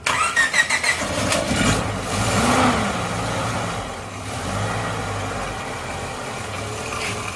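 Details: First start of a Suzuki Katana engine after a full rebuild, restored to stock from racing mods after it had been smoking: the starter catches, the engine blips a few times, then settles into a smooth, even idle with no knocking.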